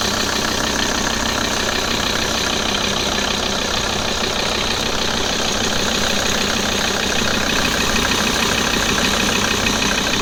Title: Strange noise audi a6 c4 2.5 tdi ael part 2